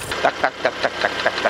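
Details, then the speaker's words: Porsche Panamera 3.0 turbo petrol at hot idle, owner reported engine noise: sharp even ticks about five per second appearing once warm, also rising with road speed; ticking inside engine, source not yet found. "지금 차주분께서 엔진 소음이 난다고 해서 입고를 하셨는데 몇 가지 점검하다가 열이 받으니까 이런 소음이나요"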